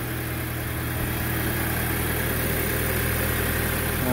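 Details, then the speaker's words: MK5 VW GTI after replacing N80 purge valve for a purge flow error: steady, even, smooth idle with no knocks, misses or whines, no errors; normal idle. "no errors just a nice it's clean and smooth thanks guys"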